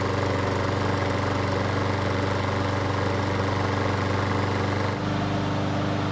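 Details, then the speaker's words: Stolen-and-recovered John Deere pull-start mower, restarted cold in two pulls with three primer presses: steady, even low putter with smooth unbroken rhythm, one slight speed change near the end; still sounds great, normal idle. "the best part is that it still sounds great so it's time away didn't seem to hurt it"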